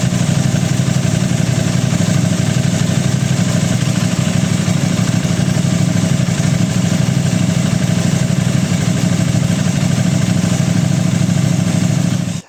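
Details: Aprilia RS660 right after an ECU remap and new front tyre, communication error codes cleared with a Texa tool: smooth steady idle with an even beat for about twelve seconds before shutoff, healthy.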